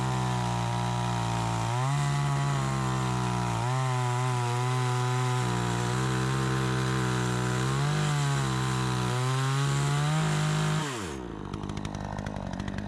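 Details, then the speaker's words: Troy-Bilt 20" chainsaw after a carburetor adjustment, cutting wood: crisp, clean revs rise and fall smoothly with no stumbling or bogging, then a clean shutdown. It runs much better than before, though it could possibly take more RPM. Normal running. "Sounds good. This thing runs so much better. It's like a completely different saw. It runs so good."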